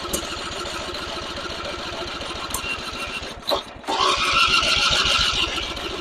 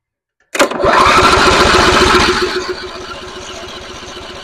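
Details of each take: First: Simplicity rear-engine mower abandoned 32 years, restarted with choke after a failed attempt: catches after a few rough pulses, then settles into a steady, even firing rhythm and keeps running normally. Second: Simplicity rear-engine mower abandoned 32 years, first start attempt with primed carburetor: starter chugs three to four turns a second, engine fires briefly but dies back to cranking and won't run; choke issue suspected.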